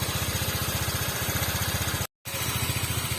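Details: Honda Vario 125 Techno water-cooled scooter idling during a one-hour run test with no steam or boiling: quick, even putter with a steady low beat and no misses or knocks; runs smooth and healthy.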